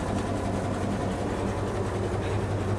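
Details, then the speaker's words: REO M35 truck, inline-six gasoline engine, first start in 2020 after sitting, oil slightly low, warmed up: even, steady low idle with a smooth pulse and no stumbling or stalling; sounding much better. "it's sounding a lot better that's a good sign and it didn't stall while we were outside"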